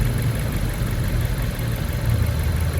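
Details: Fiat Freemont idling warm after replacing the leaking plastic thermostat housing; the cylinder head read 108 °C beside the housing. Steady, low, even idle rumble with no knocks, misses or hunting; normal idle.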